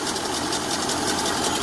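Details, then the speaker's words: 1930 Ford Model A after 40 years stored, first run before mixture adjustment: thin, uneven clatter with no steady beat, running rough with heavy oil smoke; owner fears engine is shot, later adjusting air-fuel mixture and idle improved it. "houston we have a problem well it's running after sitting in a barn for 40 years it's running it's not running very well but it's running"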